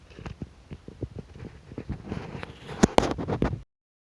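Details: 4.3 V6 engine at an uneven idle broken by irregular puffs and thumps, the stumbling rhythm of a misfiring cylinder.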